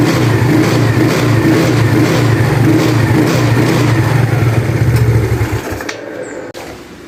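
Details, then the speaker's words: Yamaha Mio Sporty carburetor scooter, after replacing the worn needle jet and carb vacuum: strong, even revving without stumbling, settling back smoothly; earlier stutter and power loss came from the worn, over-rich needle jet. "Sekarang kita coba gas kita coba gas sedikit ya seperti tadi ya bagus ya dia tidak merebet ya"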